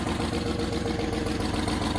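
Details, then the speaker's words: 1989 Range Rover Vogue SE V8 cold start, radiator low: even idle with faint rhythmic puffing chuff on each firing pulse from a blowing exhaust manifold. "There's definitely a blow on the exhaust. Just about hear it."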